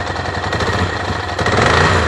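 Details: Motorcycle engine running rough with choppy, uneven, stumbling exhaust bursts, likely misfiring, yet no engine warning light on.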